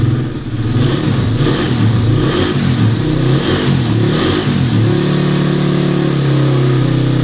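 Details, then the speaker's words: Motorcycle whose engine was noisy, after replacing the timing chain and guide, shimming and resetting the tensioner. Throttle blips in quick rises and falls, then a steady, even note. Normal engine running and revving after the repair. "so pagkatapos magpalit ng timing chain with guide magr shim magreset ng tensioner umok na ung motor ni boss no"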